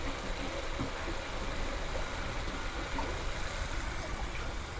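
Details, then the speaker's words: New off-brand Wasserman hot tub recirculation pump, 5 gpm, about 5.5 PSI, after priming: low, even hum with no rattle or whine, steady throughout; quiet and running normally. "takes a little bit to prime it but then it starts flowing there we go it's working good now"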